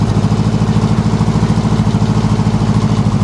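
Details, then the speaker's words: Homemade dune buggy running for the first time, smoky: a steady, even low idle of roughly 160 beats a minute with no knocks or misses. It runs fair but may need a tune-up. "sounds a little better got some exhaust not bad I think that sounds pretty"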